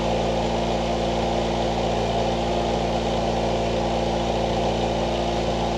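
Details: 1989 Ford Mustang Fox 4-cylinder, after injector cleaning/rebuild and a new home-welded, leak-free exhaust, before idle adjustment (was idling extremely high): steady, deep, even idle burble, no puffing, ticking or hiss from pipes; normal idle.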